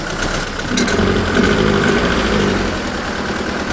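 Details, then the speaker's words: Renault Twingo petrol engine with rough, lopey idle, running on three of four cylinders because cylinder 4 has poor compression, after valve clearance adjustment and valve stem seal replacement; exhaust smells of petrol. "le problème c'est le ralenti il y a un régime pourri elle tourne sur trois pattes il y a le cylindre ici le numéro 4 il a une mauvaise compression"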